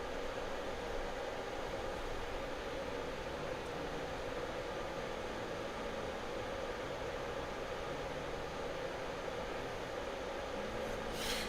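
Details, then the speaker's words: TOMZN 2000W power supply after replacing original fans with Noctua fans, same airflow direction: steady soft airy whoosh, no ticking, rattle or bearing whine; far quieter than before. "It's so much quieter than it was before."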